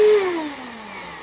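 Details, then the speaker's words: 2004 Bissell CleanView Bagless 8975 vacuum run with the dirt tray removed: a harsh, loud, airy roar from the motor, winding down in pitch. Bearings seem not that bad; owner suspects a dirty fan that a wash may fix, uncertain. "Oh my God. Holy shit, that sounds so bad. Oh my God. Oh, that is way worse than my other one was."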